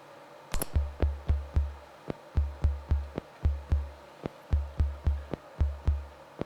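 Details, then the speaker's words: Soundmaster SD-3 Disco Beat drum machine after replacing a bad trimmer and redoing open solder joints: steady bass thumps with crisp, bright hi-hat ticks over them; hi-hat sounding normally again. "you hear it well where's the high hat now look what happens when I turn the trimmer that I replaced beautiful isn't it"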